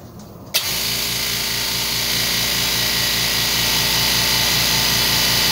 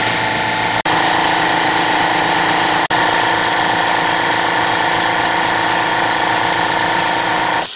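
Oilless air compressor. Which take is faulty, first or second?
first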